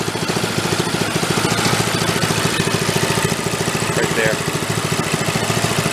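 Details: 1965 Chevy Corvair Monza go-kart, new small engine with stock muffler and homemade clutch: slow, even putt-putt about 3.5 pulses a second, no misses; normal idle.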